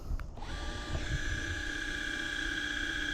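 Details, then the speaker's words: Minn Kota Ulterra 80lb 72" trolling motor that stows but won't deploy, trimming up after battery load test showed no voltage drop: smooth steady electric whine, even pitch, no grinding or stalling; trim motor healthy. "And that all appears happy, so we're going to keep going."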